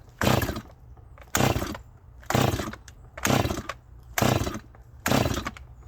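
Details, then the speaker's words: Cold Holzfforma G255 (MS 250 clone) chainsaw, worn and high-hours, first start in a while: sharp throttle bursts about once a second with fast, uneven idle between; a little rich on the high side, lean on the low side. "definely a little rich on the high side we going have to turn it up a little bit matter of fact it's a little lean on the low side"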